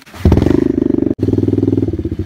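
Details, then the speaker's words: 2004 Suzuki DRZ110 pit bike, cold, started on choke after sealing a top-end oil leak with gasket maker: quick even single-cylinder beat after a kick start, brief stumble then steady running; no oil leaking, normal running. "So I just ran it, doesn't look like anything's leaking out, so that's really good."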